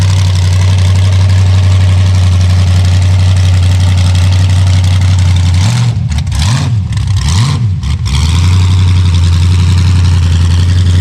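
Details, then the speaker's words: Chevy Vega with a 5.3 LS V8 swap, just started in cold weather. Loud, deep idle holds steady, then wavers and dips for a couple of seconds, breaking up like a misfire; the owner suspects the cam sensor, which is not confirmed. "still breaking up a little bit but i think it's like cam sensor"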